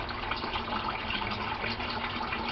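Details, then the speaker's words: Aquaponics gravel grow bed siphon drain nearly empty after a few minutes: steady splashing, hissing water flow with no gurgle or air gulps yet; draining normally. "Okay, we can see the water is almost down to the very bottom. It's almost completely drained, which happens in just a few minutes, as you can see."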